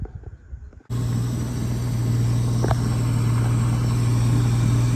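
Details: Mitsubishi with a distributor, on a battery borrowed from a 3000GT: after a short crank it settles into a smooth, steady low hum with an even beat and no knocks or misfires. Idle is pretty good.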